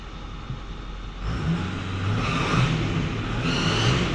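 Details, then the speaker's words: 2008 Ford F350 6.4 L diesel revving: rough, chuffing exhaust note; exhaust leaks suspected, not confirmed. "let me call this guy and see what he wants to do about the exhaust leaks on this thing"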